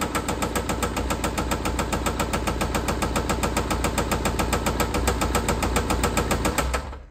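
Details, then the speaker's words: 2016 Mini Countryman R60 Cooper D, 2.0 L BMW N47N diesel, at idle before teardown: loud heavy harsh clatter, about three to four knocks a second; serious internal mechanical fault, cause not yet found. "je la démarre au ralenti quelques secondes pour vous faire écouter le bruit qui est assez horrible"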